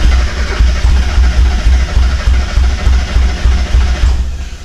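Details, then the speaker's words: 1991 Mazda Miata, reportedly knocking when parked, after fresh gas: steady cranking about three pulses a second, brief catches, never runs; fuel starvation. "okay guys uh well it turns out we weren't getting enough fuel so me we're getting fuel up here"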